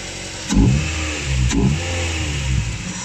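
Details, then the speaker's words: Track-prepped Ford Mondeo Mk3 race car started after sitting two to three months: engine catches and revs in uneven bursts, then settles into a lumpy, dirty, misfiring idle; rough running after storage, cause unconfirmed. "we can hear it right it's quite dirty but it's fine"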